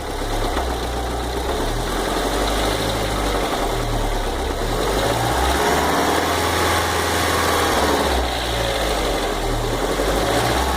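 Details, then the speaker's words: 2009/10 VW Fox engine at idle: light fast tick about four per second riding on top; noise disappears when cold and returns when warm; source of the tick unclear. "Vejam bem esse tique-tique no motor."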